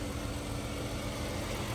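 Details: Chrysler 300 after owner replaced water pump and timing belt, hood open: quiet, smooth idle with a soft even hum and no ticking or rattle; engine sounds healthy.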